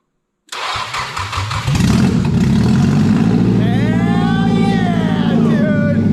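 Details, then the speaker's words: Nissan S14 240SX SR20 engine, first start, unsilenced exhaust: cranks and catches immediately, then a loud but even idle with a few clean blips; no fuel issues, runs healthy. "it runs pretty good though what it idles good it runs good dude like first crank like no issues with fuel"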